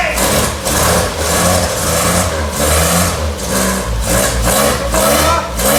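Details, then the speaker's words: 1964 MG Midget first run after 29 years stored, after new coil, rotor arm, points, condenser, fixed electric fuel pump, flushed fuel system, new battery; air filters off: engine blipped repeatedly, rising and falling crisply and evenly; sounds healthy. "Sounds really, really good as well. Obviously we haven't got them air filters on there."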